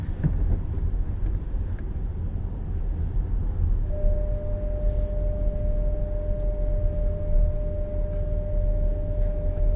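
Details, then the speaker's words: SEAT car whine that occurs every time it rains; the dealer said they couldn't hear it. Low road rumble, then a thin steady whine comes in and holds while driving in the wet; cause not found. "When I collected it from the SEAT garage, they said they couldn't hear the noise, and it does it every time it rains, as you will hear."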